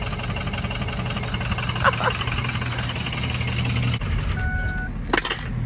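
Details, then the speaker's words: Ford 6.0 Powerstroke diesel truck limping home before its ICP sensor is replaced: the engine chugs unevenly at low speed with a loping, stumbling beat and the whole truck shaking; it runs rough and sounds terrible. "barely made it guys sounds terrible the whole thing's shaking"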